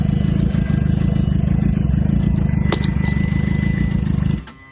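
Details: 2007 Suzuki GSX-R (K6) cold start after sitting overnight: stumbles at a low, lumpy idle with uneven firing, then dies after about four seconds; won't rise to normal fast idle, exhaust smells rich, cause unknown.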